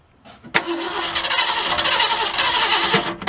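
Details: 1967 Ford Galaxie 500, 289 two-barrel, first start attempt after 25 years: starter whirs steadily about three seconds and never catches; fuel starvation because the fuel pump lines were connected backwards, pushing air into the bottle.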